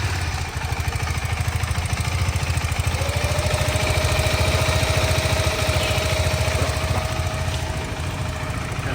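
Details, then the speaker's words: KTM 390 Adventure showroom loaner, just started: steady idle about three beats a second with light, even ticking on top; tappet noise, acknowledged by the showroom and present on the owner's bike too. "But start ಮಾಡಿದಾಗಲೇ ಈ range ಗೆ sound ಬಂದ್ರೆ ಏನ್"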